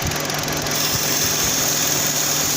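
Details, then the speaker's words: 2009 Dodge Journey with rough idle and overheating: brake cleaner sprayed around the intake makes the idle go ragged with RPM changes under a loud hiss, confirming an intake manifold gasket vacuum leak. "Oh, see it? See it running like that? Now it's running really bad. Now it's changing RPMs."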